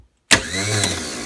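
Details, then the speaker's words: New-style starter for a Gravely 817's Onan CCKA engine, bench tested clamped in a vise with a booster pack jumped to the solenoid: sharp start then steady high electric whir, spinning freely; the replacement starter works. "Yeah, it works. Awesome. So now we'll take the old starter off the tractor now that I know that this one works, and we'll go from there."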